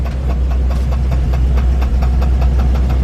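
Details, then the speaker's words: 1948 Ford F5 flatbed with a Mercury 256 flathead V8 that has valve issues: a sharp, regular knock about four times a second over the idle; pushing the clutch in changes nothing and the source is unknown. "I really don't know what that is. Sounds like it's somewhere over here, so I'm kind of thinking it's not clutch related, because I pushed the clutch in and it doesn't do anything."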